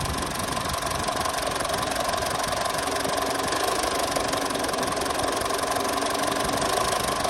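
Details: Diesel Mitsubishi Triton L200 or Toyota Hilux after a crank-no-start (P0093) repair, during injector active tests: an even diesel clatter at idle with a steady, unbroken rhythm and no miss or stumble, all cylinders firing. Normal diesel idle.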